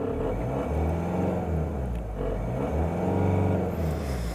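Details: Mahindra XUV500 W8 diesel after crank-no-start with flashing check engine light and immobilizer codes P183F, P1832, P183B, key programmed and codes cleared with scanner: runs steadily, smooth rise and fall of revs, no misfire or knock.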